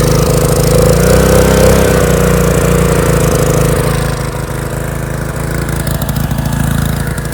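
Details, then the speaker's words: Small single-cylinder power washer engine running on choke, carburetor leaking fuel, oil left in the float bowl, burning oil: thumps along unevenly, beat loosening and sagging; rough running from too much fuel. "well it's burning all that oil and that's leaking off of it out of it so just got to let run it's"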